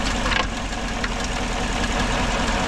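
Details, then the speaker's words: 2014 GMC truck, 5.3L, 81,000 miles, number 1 cylinder misfire, plugs swapped without change: rough lumpy idle with occasional stumble; test light shows no spark from the number 1 ignition coil, later confirmed faulty by swapping coils. "wire off here's a major no spark coming out of that"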